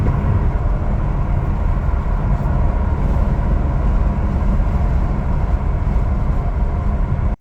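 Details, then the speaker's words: BMW E92 M3 V8, 88,000 miles, test drive taken easy and not redlined right after new rod bearings and engine mounts: deep steady rumble under light throttle, no knocks or ticks; normal running under light load. "Test drive went well. I took it easy. I didn't redline it yet."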